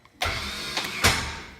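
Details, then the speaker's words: 2015 Polaris RZR 1000 no-start: quick high whir from the starter spinning free, no engine turnover or compression beats; likely a failed one-way bearing (sprag clutch) rather than the starter, not yet confirmed. "doing that shit, it's not your starter. More than likely, it's the one-way bearing or the sprag clutch."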